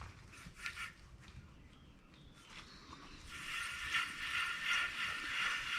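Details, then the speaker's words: 2009 Subaru Outback front wheel bearing, removed and spun by hand after months of loud droning: gritty, scratchy rasp worsening as it turns; dry and worse, with bearing surfaces and rollers severely degraded. "sounds like a dry bearing to me that's putting it mildly it's worse than just dry the bearing surfaces and rollers have severely degraded"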